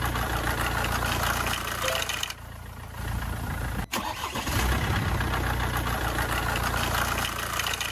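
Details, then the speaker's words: Engine cranks, fires and idles with a loose metallic rattle over the rumble; source uncertain, possibly timing chain or hydraulic tappet gap, not confirmed. "First of all, when there is a problem with the timing chain, [music] it makes a rattling noise."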